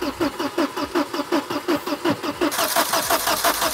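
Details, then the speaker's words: An old Volvo not started in 10 years cranks steadily at nearly three beats per second but never catches; crank, no start. The owners suspect no fuel in the tank, though the fuel pump was heard priming. "i think there's no fuel in here whatsoever i hope he's because it would be really good if he did drain it i did hear the pump priming yeah yeah it wants to go"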